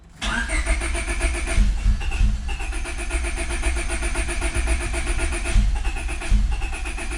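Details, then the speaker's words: Honda Civic B20 after welding a hole in the block left by a broken VTEC oil fitting and fitting a sandwich plate: steady cranking in two long bursts, never fires. The owner suspects no fuel, and later the alarm system. Cranks, no start. "i'd have to check but it sounds like there's no fuel so let's see"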